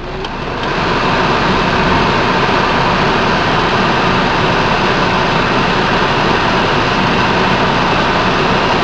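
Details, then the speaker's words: Ford Focus cabin blower, newly installed replacement motor, engine running, A/C on, heavy rain outside: rush of air swells in the first second, then holds steady at full speed; normal. "Turn on the air. I heard something kick in. Oh yeah, it's coming. Nice and cold. Alright, I'm gonna blast it."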